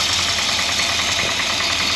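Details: 1963 Jaguar Mk10 with Mopar 440, off road since 1972, idling at 70 psi oil pressure on thick oil: fast, regular light tapping over a hissy, even idle; owner suspects rod knock, noise appeared after running quiet.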